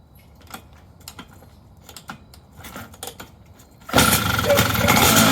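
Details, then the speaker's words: Engine restarted after air-leak pressure test and repair: a few quiet clicks, then it catches and runs strongly and evenly without missing; good first start, though owner guesses ignition timing is way advanced. "okay pretty good first start sounds like uh my guess is timing is going to be way way advanced but uh we'll see"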